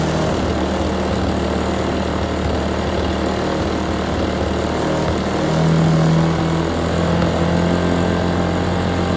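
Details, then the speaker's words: Troy-Bilt Tomahawk Pro chipper, 10HP Tecumseh, rusty air filter, run on starting fluid with choke: engine screams high and climbs without settling; over-revving because the governor arm and remote throttle were stuck, freed with penetrant. "on okay that ran hot man that ran hot that revved really high I'm not sure the governor was working"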